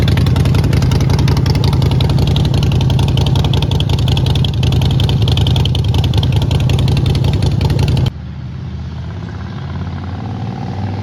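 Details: Neglected 2008 Harley-Davidson Sportster, primary fluid not changed: deep lumpy V-twin beat with a strong low throb, steady and even, no knocks or misses; runs really good with some power.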